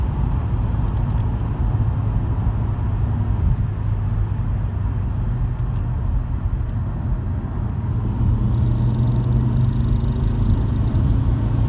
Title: Vibration noise when accelerating